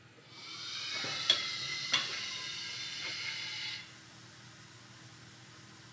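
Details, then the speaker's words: 1935 Dodge coupe, newly built two-link air ride rear suspension, first test: steady high hiss for several seconds as bags fill, then drops away; air leaking at fittings installed without Teflon sealant. "clearly have lots of air leaks that's probably my fault I didn't put any Teflon on any of my footage"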